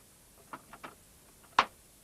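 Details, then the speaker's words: Amiga A1200 with the self-booting Workbench system disk inserted in the floppy drive: a few soft irregular ticks, then one sharper clack in a quiet room, normal floppy drive seek clicking while the disk is read. "When you do, you'll notice the disk drive light come on and you'll hear the sound of the disk drive accessing as the Amiga works out it's a self-booting disk you've put in."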